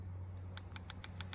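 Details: G3 Hemi swap harness test with PCM and fuel system hooked up: six crisp, evenly spaced injector clicks about every seventh of a second over low hum after tapping gummy injector free; injector opening properly.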